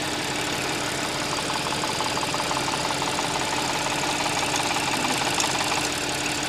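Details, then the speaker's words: Audi S, customer-reported engine noise on cold start: fast light metallic rattle about three a second over idle, rising then fading, clear when cold but inaudible warm; two sounds (rattling and clunking) on top of engine. "循序渐进的，它不是一直响在那里，刚好撞到那个位置，它就响了。冷车的时候比较明显，热车的时候啊，昨天听不出来。"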